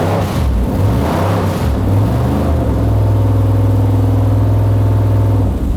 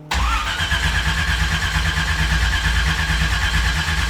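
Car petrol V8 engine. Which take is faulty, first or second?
second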